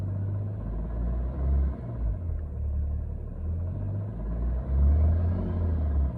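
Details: BMW 335d with M57 diesel idling with a deep, even rumble and no knocking, after cutting the AC belt; the ticking previously mistaken for rod knock was a bad AC compressor.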